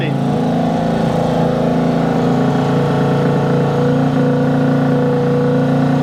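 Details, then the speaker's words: 1965 Honda C100 Cub 50cc single, neglected for decades, first start on starter rollers with carb starting fluid, no choke, air screw out one and a half turns: uneven, stumbling beat; runs but rough, cause not confirmed. "come on Stay Ready stay running it's not running good but it's running"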